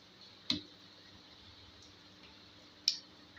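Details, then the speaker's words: 1 kVA three-relay automatic voltage stabilizer fed from a variac at about 200 V: two sharp relay clicks about 2.5 s apart over a faint hum, the khat-khat switching fault traced to a preset setting. "अब ये कितना पर कितना हो रहा है ये देखना होगा। यहाँ पर खटखुट हो रहा है।"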